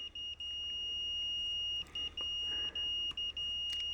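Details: Expensive Fluke meter continuity beep-test, automotive fuse testing via decade box: at about 90 ohms a high beep keeps cutting out in short gaps, an intermittent pulsing. A beep does not mean the fuse is good; the threshold is about 120 ohms.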